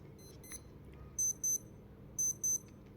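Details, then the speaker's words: Casio A159W watch alarm going off after being submerged in water in a closed container: two pairs of short, sharp, high beeps about a second apart, clear and steady. The alarm works normally, no problems. "الاختبار بتاعها نفع، مفيش اي مشاكل."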